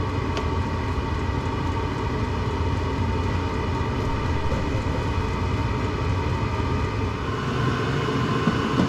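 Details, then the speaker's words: Stock-rebuilt VEVOR diesel heater (standard burn chamber and glow plug) running on paint thinner, 20 minutes in: steady even roar with low rumble, no surging, popping or misfire; burning smoothly and normally. "I set a 20-minute timer, it just went off, and I'm not noticing anything odd."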